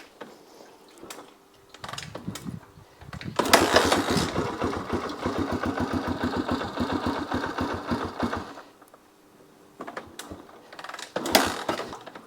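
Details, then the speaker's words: 1982 Honda XL250R single, cold, on a little choke, after oil-leak repair and a new battery: several cranking bursts, a brief stumbling catch, more cranking, then it fires; hard cold start. "Oof. It's not liking being cold. There we go."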